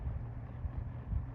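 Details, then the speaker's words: Lakewood P-223 fan (1987/1988) after degreasing, previously ran slow and poorly: low steady hum with even airflow rush at full speed, no wobble or rattle, running like new; normal running. "it ran so slow and like trash and now it's running like it should it's like a new fan"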